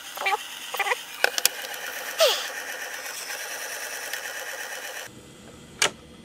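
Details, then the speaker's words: 1960s Sears 8241 rim-drive 3-inch reel-to-reel recorder, switched to play to enable rewind: a few control clicks, then light even whirring as reels wind back slowly; normal slow rewind. "put it to play and then you can rewind and it says a slow rewind"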